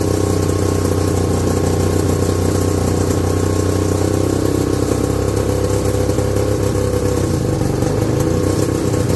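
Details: 1969/70 Sears snowmobile, single-cylinder Kohler two-stroke, sat outside a year, first run after revival: fast buzzy idle with slightly uneven hunting rhythm; owner says it's sucking air, running lean.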